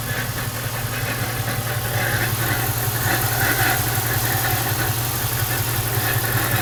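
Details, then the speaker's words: Lincoln LS V8 at idle, hood open: a loose, uneven tapping a couple of times a second over the low rumble. The owner suspects the timing chain tensioner or coil packs, but it seems to come from the bottom end; unconfirmed. "What's this sound coming from my LS? V8. Sounds like a timing chain tensioner or something."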